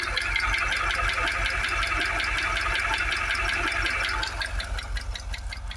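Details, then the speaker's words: Jaguar XKR supercharged petrol V8, warm and idling after about 20 minutes: a steady light knock, about three taps a second, over the hum; owner now doubts the supercharger, which rumbles rather than knocks, and suspects timing chain or deeper engine fault. "Right, so it's been running at it about 20 minutes. Still getting that knock. I don't think it is now the supercharger."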